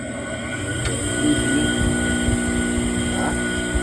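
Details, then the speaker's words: Sewing machine clutch motor hums steadily with uneven low thumps underneath. The clutch friction disc's retaining nut came loose, and the disc was knocking against it, making a loud noise. "o que aconteceu aqui foi que soltou soltou a porca aqui ó e a porca do disco tá ali dentro solto ó vendo a porca e a chava aqui ó aí o disco ficou batendo na porca fazendo um barulhão"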